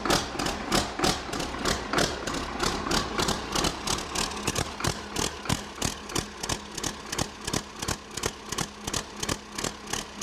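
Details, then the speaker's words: Rebuilt 8.3 Cummins diesel (had thrown a rod) from a Ford F800 for a Case IH 2366 combine, first start on engine stands: sharp, even knocks about three per second; firing on all cylinders, healthy steady idle. "all right oppressor make starts firing on all cylinders that sounds pretty good it's firing on all cylinders yep"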